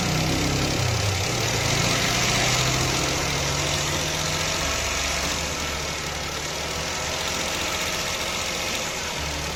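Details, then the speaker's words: Toyota engine at idle with misfire: lumpy, regular stumble about four times a second that barely changes when the misfiring cylinder's coil is unplugged, identifying the dead cylinder; cause was a damaged ignition coil connector pin. "ver, when the misfiring cylinder's coil is disconnected, there's little to no change in the engine's roughness because it wasn't firing properly to begin with."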